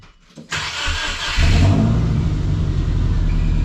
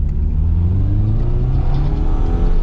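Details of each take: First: Subaru with an exhaust upgrade, recorded at the tailpipe: engine fires up and blips the throttle three times with a raw, puffing note from exhaust leaks at joints not yet fully sealed. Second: Subaru with a manual gearbox after a low-power repair and exhaust upgrade, on a test drive: strong acceleration with a deep, steady exhaust note rising smoothly in pitch; power restored, healthy acceleration.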